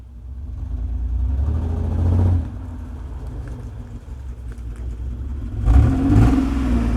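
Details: 1995 Mitsubishi 3000GT base model, two throttle blips: fluttering uneven exhaust burble stumbling as revs rise and fall, no check engine light, sometimes runs rough; owner suspects misfire.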